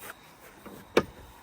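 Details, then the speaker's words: 2016 Jeep Cherokee North door swinging quietly with one soft knock and no squeak or creak after greasing the hinge; it was creaky before lubrication. "but you can tell that it's a lot less squeaky than what it was cuz before I showed you I think that it was a little creaky creaky"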